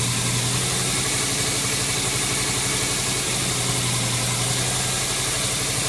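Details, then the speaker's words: 1999 Subaru WRX (GF8) EJ205 turbo engine after coolant flush, approaching normal operating temperature: steady, even idle with fast regular low pulse, warm-up enrichment slowing down, no knocks or misses; normal warm-up idle. "So we're approaching normal operating temperature now. You can hear the warm-up enrichment cycle starting to slow down."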